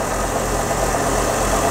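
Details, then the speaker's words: 1970s Craftsman belt grinder, first test after a motor mount modification: steady, even motor hum and belt whir with no knocks, rattles or wobble, running smoothly and solidly, far better than before. "Oh my God, that thing is working perfect. Yes. That looks really solid, way better than it was."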